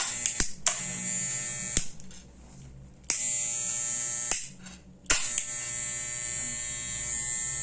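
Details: Wahl Super Taper clipper that crackled at the on/off switch, after switch repair: switched on and off several times, each run a steady high buzz with no crackle or cutting out; fixed, healthy.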